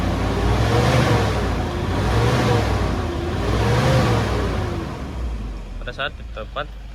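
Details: 2010 Toyota Innova 2KD diesel after the repair, no DTC, fuel pressure feedback good: revs climb and drop back three times, smooth and even with steady clatter and no hesitation; healthy free rev.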